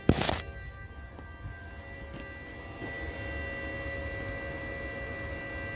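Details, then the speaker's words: 2007 BMW 335i, ignition on, heard from under the car: after a clunk, a steady electric whine with circulating coolant as the electric coolant pump runs continuously; BSD data-bus fault suspected, pump recently replaced. "you can even hear the water pump you can hear the water circulating as well"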